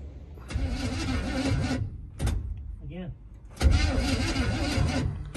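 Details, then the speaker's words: 1961 Chevrolet Impala barn find, unstarted after 28 years: starter cranks about a second, stops on its own without key release, catches briefly and cranks again; cranking keeps cutting out, cause unknown. "it's stopping on its own you're not stopping are you yeah we'll do it again yeah yeah it stops right there again"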